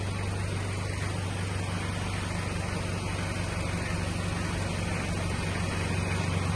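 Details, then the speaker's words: Toyota Hiace 1KZ-TE diesel after fitting new Denso OEM injectors, which fixed its white smoke and engine knock: a steady, even idle with a constant low drone, no knock, very little white smoke. "very little white smoke. I think it needs to be run, but at least it's not knocking."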